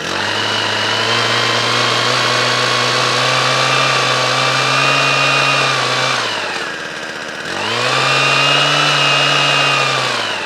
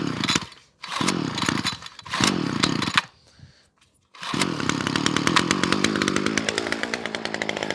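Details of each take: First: Winterized two-stroke equipment restarted after storage, second pull: high, crisp buzz holds steady, dips briefly and picks straight back up cleanly; running healthily. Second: Titan two-stroke strimmer after winter storage, choke set: high buzz cutting out and surging in bursts before a steadier whine, sounds a bit off; hesitant running, owner suspects a bit of dirt in it.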